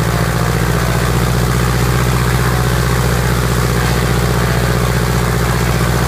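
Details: Piper Apache piston aircraft engine, first start after rebuild: steady even low drone, smooth firing beat, no knocks or misses; normal healthy idle.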